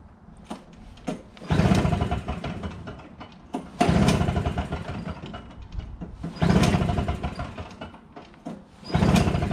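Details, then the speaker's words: Troy-Bilt TB22 two-stroke weed trimmer, cold start after carburetor replacement, excellent compression; repeated slow pull-cord cranks spin the engine without catching because the tank is dry; owner then adds 50:1 TruFuel. "okay maybe i should need to get some gas i've got some true fuel here 50 to one minutes"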